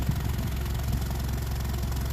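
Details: Honda CR-V 4WD, possibly 2011, before repair: steady idle with deep, sharp chuffing on every pulse; exhaust leaking where the rotted flange joins the intermediate pipe to the rear muffler.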